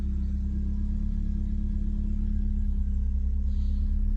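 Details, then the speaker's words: 1995 BMW E36 316i compact, 1.6 M43 four-cylinder, about 28 years old, heard from inside the cabin: a steady deep drone and low rumble at idle, loud and boomy, pointing to a worn, loud exhaust muffler. "There's also the muffler, which sounds not great. In fact, it sounds incredibly loud in here."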